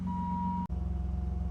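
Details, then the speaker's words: BMW E28 straight six, first start after a new fuel system was installed: steady low hum with an even, regular pulse and a faint tone above, smooth at idle, nothing irregular; normal idle, though a fuel leak was later found at a cracked T-splitter line. "Not seeing any leaks. And I hear it humming. That's a win."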